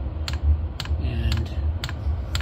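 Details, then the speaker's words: Vevor Chinese diesel heater after repair, moments after ignition: sharp regular ticks about twice a second over a low combustion rumble as the fuel pump rate increases. Normal fuel pump ticking. "can't really pick it up with the GoPro but you can really hear now it's subtle but you can hear that the fuel pump has increased in"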